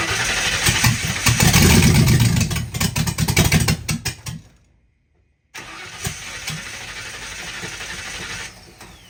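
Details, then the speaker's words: 1960 Ford F100 shop truck starting for the first time in years, open header, fuel and ignition systems semi-hooked up, MAF cleaner sprayed in carb for lack of ether: starter churns about 3.5 beats/s, stops without catching, quieter rumble; cranks no start after header fireballs, owner suspects stuck carburetor float. "Maybe the float's stuck and it's not all right. The float stuck."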